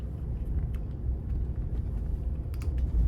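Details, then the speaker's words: Ford F-150 test drive in 2H and 4H while steering, after replacing the hub check valve, hose and solenoid: only low even road rumble, no grinding or resistance; hub grinding fixed. "then I put in four high turn the steering wheel back and forth listen for any grinding or fill for any resistance beyond what you're supposed to fill and it is not doing that anymore so this fixed my problem"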